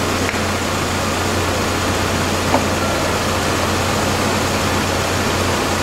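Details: 2001 GMC Sonoma 2.2L with freshly replaced engine, warm idle after startup, temperature good, hood off: steady, even idle with smooth low hum at constant level, no knocks or misses; normal healthy idle.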